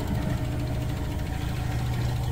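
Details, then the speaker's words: 2022 Rockwood fifth-wheel RV washer/dryer (front-loader) starting to drain: steady low hum of drain pump running normally; loose-mounted unit not vibrating or banging, door rattle on tracks noisiest part. "starting to drain the pump's kicking on and putting water out the drain but again these things i mean these are loose these are all loose to the wall"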